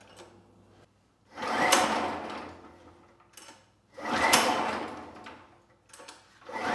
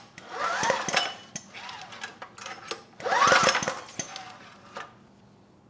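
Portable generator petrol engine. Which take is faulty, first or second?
first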